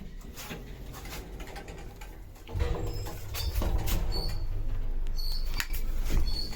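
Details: 1970s traction lift, possibly Falconi, in Chioggia, Italy (7 stops, 325 kg/4 persons, 0.7 m/s), recorded in the car while travelling: low travel rumble with thin high squeals coming and going. Screeching during travel, source not pinned down.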